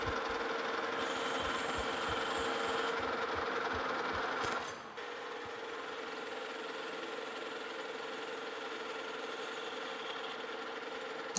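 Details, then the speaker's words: Lucas horizontal boring mill opening a bore to 1.5 in with a more rigid boring bar for a Morse taper No. 5 adapter; steady cutting hiss, no shrieking ring, chatter under control, smooth boring cut. "and I'm not getting as much vibration and chatter down in that bore."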